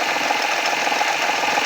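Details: 2014 Honda Accord V6 at cold start: fast, light ticking knock over a steady cold idle, pitch holding level; a top-end knock, cause not yet pinned down.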